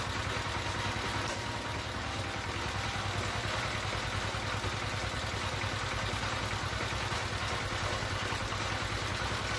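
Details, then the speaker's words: D15 S1100 single-cylinder diesel, after fixing the fuel line fault that caused heavy white smoke, uneven revs and hard starting: an even, steady clatter at about three beats per second with no misses or surging. It idles healthily. "Nhưng Tít trường hợp mà chúng ta đã làm nó có đường nhiên liệu chuột thì dẫn đến là máy nó hoạt động rất ngon và không có khói nữa"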